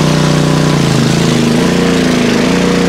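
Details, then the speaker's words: PowerSmart 4400-watt MB5040B portable generator under stress test with overload light on: engine drones hard, pitch dipping and recovering every second or so as it labours; generator overload. "the overload light is on so I'm not going to stress it now I know the overload light works"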